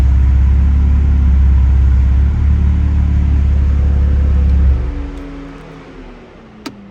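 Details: Freshly built BMW 335i N54 twin-turbo six (MMP 53/53 turbos) idling after 15-minute break-in; deep steady even hum, no knocking or ticking, then clean shutdown and wind-down; owner calls it a nice quiet motor; normal idle.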